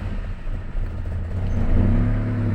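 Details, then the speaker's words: Honda Accord Cielo automatic, in D/D2 with brake released: engine flares freely under throttle with a rising drone but never loads; transmission slipping, no drive; D4 lamp not lighting. "ini kita coba gas lagi seperti tadi [Musik] tidak mau jalan dia ngelos ya"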